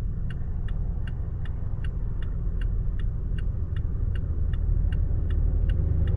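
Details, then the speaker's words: 2023 Toyota Tacoma SR 4x4 four-cylinder at 1,801 miles, at idle: a smooth, even low rumble with a light, steady tick about three times a second; sounds healthy. "this is just to give you an idea of what the uh motor sounds like"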